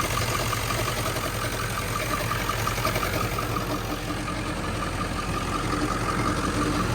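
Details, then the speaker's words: 1997 Ford F-350 7.3L Powerstroke diesel, 164,000 miles, warm idle, stethoscope at the front pulleys: a steady light knock about three per second over the clatter, intermittent and rod-knock-like; traced to one of two front pulleys. "a lot louder right there a little bit there too it might be one of these pulleys right here it sounds like it's coming from right in here"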